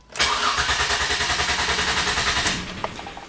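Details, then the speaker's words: 2005 Ford Freestyle 3.0 V6 petrol, check engine light, rough running and power loss, cranked with pedal floored for relative compression test: even starter chug about 3.5 per second, consistent current humps, no missing humps, compression looks good. "okay so all these humps look pretty even and consistent so there's peaks and valleys here so there is no missing humps"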